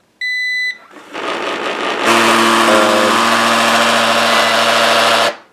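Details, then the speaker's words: Eufy RoboVac 11S robot vacuum, a Roomba-style clone, underside noise: after the start-up beeps it runs quietly, then breaks into a loud, harsh, steady grinding roar. A foreign object lodged underneath was found; removing it seemed to stop the noise. "Then it does that. So, we're going to uh take it apart and find out what is creating that kind of noise underneath it."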